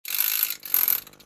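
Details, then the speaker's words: Sony MCH-M333NT Net MD mini hi-fi MiniDisc deck after belt replacement and mechanism reset: two brief high whirs of the loading motor, then quiet light clicks with no constant spinning; disc loads and reads normally. "So you don't hear the drive spinning or anything now, which is a good sign. Yeah, it's reading that fine."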